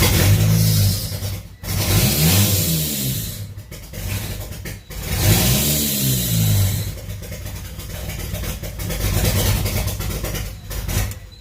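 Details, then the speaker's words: Mitsubishi Eclipse GSX 4G63 at first start: revs surge and sag unevenly under worked throttle with a lumpy, stumbling misfiring beat; won't idle without gas, owner suspects a bad vacuum leak. "So, the car's running. There's a few big issues, as you could hear. I can keep the car running with some good pressure on the gas and some other things like that. But basically, what I'm pretty sure is going on is I have one bad vacuum leak."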